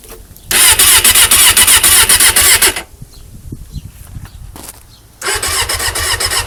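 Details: Suzuki Katana: fast, steady starter whirring in bursts, about four turns a second, with no firing; cranks but won't start, fixed by replacing the worn spark plugs.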